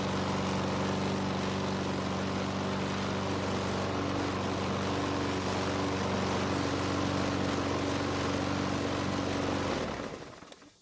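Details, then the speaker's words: Craftsman lawnmower that shakes and leaks gas from the primer bulb/carb: steady-speed coarse shaking drone, then dies; bent crankshaft, likely from hitting something hard, vibrating so much the carb can't regulate fuel. "And unfortunately, the vibration is from a bent crankshaft, probably caused by hitting something hard while mowing with it."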